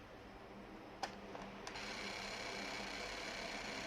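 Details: PlayStation 2 slim disc drive during repair: a faint whirring buzz with a thin high tone after clicks as the laser sled motor strains. Laser sled motor grinding.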